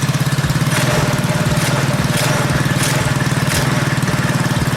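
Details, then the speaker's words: Predator 212cc single on modified KT196 go-kart, just started with slight throttle, choke off: steady, slightly fast idle, higher than usual because ignition timing was advanced, which typically raises idle speed. "Yeah, so it's actually idling a little higher than it usually would be, which, as you know, on Volkswagens, if you advance the timing, that's typical. The idle speed will pick up."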